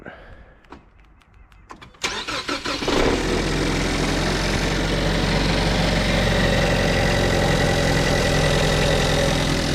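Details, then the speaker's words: 2016 Ford Edge 2.0L four-cylinder EcoBoost with 6F35 transmission, cold start at about 30°F: cranks, catches, settles into rough idle with a low growl, loudest near left front tire; first suspected rod knock, found cracked flexplate. "to me it sounds like either a rod knock or a flex plate. Today I'm going to be digging in and seeing if it's the flex plate being cracked or broken or something like that."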